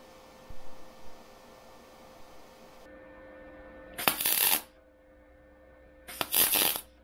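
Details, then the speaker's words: MIG spot welding a butt joint on thin car-body sheet at 60 A, 16.5 V, inductance 3: two short, harsh crackling bursts over a quiet hum. The inductance is too low, giving tall, bulging, large weld spots. "Donc là, c'est la soudure qu'on vient de faire bord à bord. Et en point par point. Donc là, 60 ampères sur le poste, 16,5 volts et 3 en inductance."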